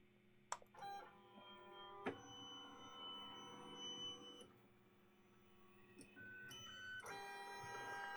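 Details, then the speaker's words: Used Lulzbot Mini 3D printer during a test move: loud, singing stepper whines that jump in pitch with each move. The owner suspects too much current going to the stepper drivers. "noisy but I think that's because there's so much juice running to all those drivers"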